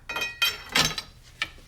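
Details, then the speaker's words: Ratchet under a torque stress test: uneven dry clicks and sharp snaps as the ratchet slips instead of holding; pawl on that side suspected broken. "Yeah, that sounds like that's going to be done for on that side. So yeah, there's nothing moving there. So I'm guessing that Paul shot."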